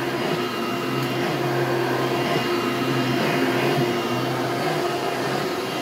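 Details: Hoover Turbo Power 2000 vacuum with original belt: steady drone with a faint thin whistle over it, owner unsure if bearings and most concerned about the wind-down sound; whistling, cause unconfirmed.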